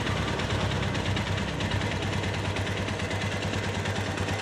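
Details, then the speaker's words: Minerva MX 150 single-cylinder motorcycle, a flood victim, after engine rebuild with a Megapro oversize 50 piston: steady even idle around two beats per second with light top-end rattle. Smoother than before; fairly healthy idle. "tidak bisa halus 100% apalagi hp-nya HP murahan jadi suaranya yang kasar dan yang halus kadang tidak terlalu beda lebih sama tapi ini sudah lumayan halus dibandingkan dengan yang kemarin"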